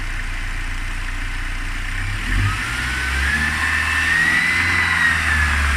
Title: Mercedes-Benz c250 strange engine noises